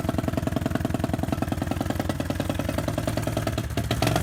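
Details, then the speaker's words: BSE J10 four-valve single-cylinder four-stroke dirt bike after repairs and valve adjustment: steady thumping, picking up cleanly on throttle, with music in background; normal running, though it still needs some carb tuning. "I can still hear it needs a bit of carb tuning."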